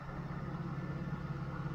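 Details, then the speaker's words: 1992 Mercedes 600SEL V12 at idle after the right exhaust pipe hole was welded. A very quiet, smooth low hum with no ticks, misses or exhaust puffing; the engine runs smoothly. "that's nice the engine runs like a SE machine very good"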